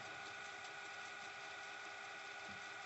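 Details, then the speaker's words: 1980s RCA VLP950HF VCR winding: steady, even mid-pitched whir with no rising pitch or rubbing, slow because of the machine's age; normal slow fast-forward motor whir. "so uh anyway so this is not rewinding fast but just very slow because of the vcr from this time it's from the 80s"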